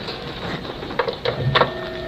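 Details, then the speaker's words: Stand fan after repair of humming/stuck motor, now spinning freely: steady, even whir with soft light hum and a few handling bumps; runs normally. "Yan mga idol hindi na yan ano hindi na yan nagaming."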